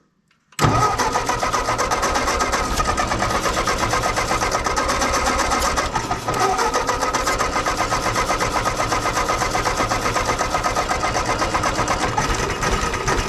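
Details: Ford 8N tractor after carburettor work: the starter churns steadily at about four compression beats a second for twelve seconds and it never catches.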